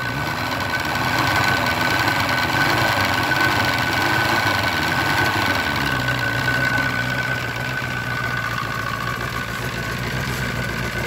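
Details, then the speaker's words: Force 120 (Mercury) 1999 two-stroke outboard off a Bayliner: revs up strongly then drops back to a steady, even idle with no misses or knocks, smoking as it should; running healthy. "работает дымит как положено"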